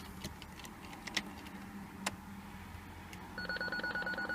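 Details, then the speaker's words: BMW E46 Touring rear parking system after fitting a new eBay sensor, ignition on, reverse engaged: a steady train of quick, even beeps, about three per second; the parking sensor system is working normally. "so you see this is the normal sound for the working parking system"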